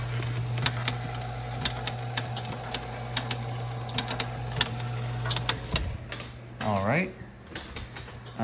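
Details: 1978 Bally Miss America Deluxe bingo pinball: steady motor hum under regular crisp clicks as unit steps; motor bouncing, nut to tighten; relays and drag arms working normally.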